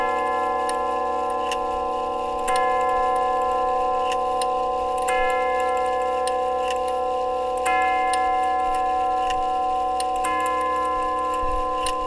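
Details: Grandfather clock tube gong movement on bench test stand, steady even ticking with clear tubular chimes every few seconds; after hammer refurbish for worn leather pads, movement and strike hammers working normally.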